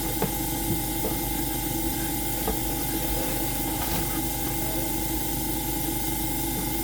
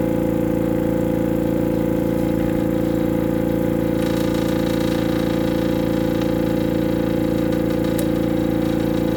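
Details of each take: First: AromaO2 coin-operated oxygen concentrator switched on manually, before the oxygen test: the compressor gives a steady, even hum with faint regular valve ticking and no rattles. It is running normally, and the unit is later shown producing about 30% oxygen. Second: AromaO2 oxygen concentrator compressor hums and pulses evenly at about two strokes a second with no hiss. An internal hose has come off.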